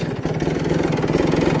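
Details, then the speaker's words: Kawasaki Ninja two-stroke with an HSAS problem: idle pulses unevenly with a lumpy wavering beat that won't settle; covering the HSAS intake by hand steadies the idle, uncovering it makes it die. "rannya itu dia gak mau langsam kayak gini nih susah langsamnya"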